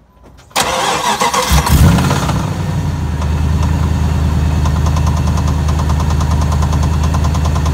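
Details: Engine fires and settles to idle with a steady, fairly regular deep knock, about three per second; owner suspects rod knock or converter, not confirmed.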